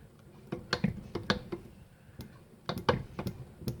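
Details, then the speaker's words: Old Victa two-stroke lawn mower, spark check in a quiet room: sharp irregular snapping ticks as the engine is turned over; strong, healthy ignition spark. "I can hear it. Oh, that's got a healthy spark. That works."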